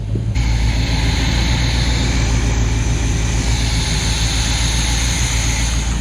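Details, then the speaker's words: Luhrs 28 boat inboard with newly rebuilt carburetor, warming up with air filter off: deep, steady idle rumble with even beat and no stumbles or hunting; smooth running carburetor, no leaks. "that's a smooth running carburetor let's move grips nothing"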